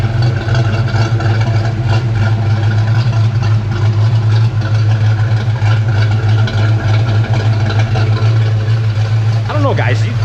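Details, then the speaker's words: 1992 Ford Mustang Foxbody V8, mostly stock apart from intake, reportedly 1.7 rockers, with a suspected exhaust leak: deep loud idle with a slightly uneven, lumpy, choppy pulse; unclear whether it has an aftermarket cam. "When I was talking to my friend Evan, he doesn't think it's got a cam, but it kind of sounds a little choppy."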